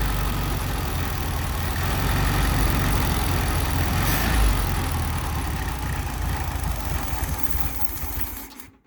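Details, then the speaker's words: 1974 Volkswagen Beetle with freshly installed 1641cc engine, first run: low, lumpy chuffing with an uneven beat that sags and wavers, then dies; engine won't hold a steady idle. "i got it running at least enough to be able to see if it move under its own power it doesn't want to idle really so i'm going to mess around with that"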